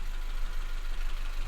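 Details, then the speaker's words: 2016 Honda Civic petrol with a P0303 cylinder 3 misfire, with brake cleaner sprayed into the air intake as an extra fuel source: the idle smooths out, pointing to an injector fault. Misfire from faulty injector. "So you've seen that with a fuel source, the engine smoothed out and it went fine. So we're after the injectors."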